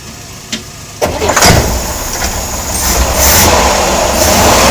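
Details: Corvair air-cooled flat-six running with belt off: busy run with a knock mixed in; knocking source unknown.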